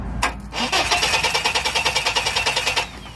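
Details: 2001 Chevy S10 4.3L: steady starter cranking around three turns a second that never catches; spark checked at coil and high-tension lead, but the distributor cap was loose, giving poor contact, so a crank no-start.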